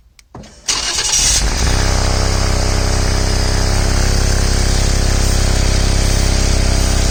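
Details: Ford/Lincoln vehicle on a cold start: a sharp, rapid puffing tick over the idle, keeping pace with firing, louder when cold, with exhaust smell in the cabin. The owner suspects an exhaust leak, but the dealer calls it a normal condensate drain.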